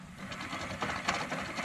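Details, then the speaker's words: 1999 Dodge Caravan rear wheel bearing, hub turned slowly by hand before replacement: dry, gritty rumble with rough catches through the rotation; bad wheel bearing grinding. "1999 Dodge Caravan um we've got a bad wheel bearing here"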